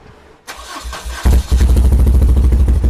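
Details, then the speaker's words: 1978 BMW R100S airhead twin after a multi-year slumber: short crank, then it catches and runs lumpy and uneven on one side; left carburetor's fuel passages blocked by old gummy gas, rough running on one cylinder. "Towards the end of the video, you saw me grab some starter fluid and spray it into the left carb, and it ran. This left carb finally started running, and that"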